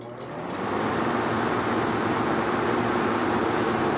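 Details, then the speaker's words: 1970 Carrier 9-vent window air conditioner: compressor kicks in and settles to a smooth, even whoosh with steady hum, no knocks or rattles; runs healthy. "But anyway, consider a good shot of that compressor starting up. Actually sounds pretty good."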